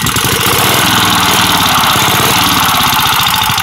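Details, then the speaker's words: Antique Clinton vertical-shaft engine converted to horizontal shaft, running: heavy thump each firing stroke over clattery valvegear, knock heard when lifting the crank; worn flywheel-side main bearing. "ordinarily the crank slammed down in the main bearings when I lift up on it it's going to be up down up down every time the explosion hits you can hear the knock"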